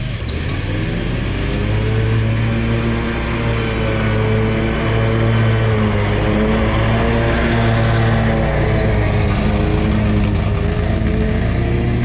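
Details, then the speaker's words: Scag mower cutting grass: engine drone wavers up and down in pitch instead of holding steady, surging badly under load; cause unknown. "okay, y'all, so this mower surging off the muscle, man. It's surging bad too, man."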